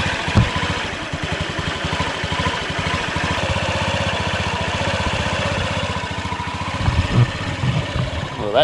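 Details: 2003 Honda Ruckus scooter after carb work. The single catches and settles into a quick, even putter with no misses or stumbles. Normal idle.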